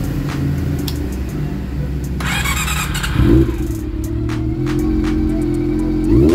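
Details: Honda CB400 after a cam train repair fixed an engine ticking noise: catches, a couple of quick blips, then settles to a smooth idle with no ticking; bike sounds healthy.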